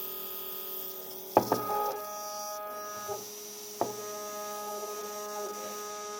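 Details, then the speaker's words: Two Z-axis stepper motors wired in parallel on one driver, 4 A peak (2 A each), feed rate 1000, acceleration 120. A steady buzzing hum with clicks: one motor stalls while the other vibrates. "okay so one of them are stalled the other is vibrating"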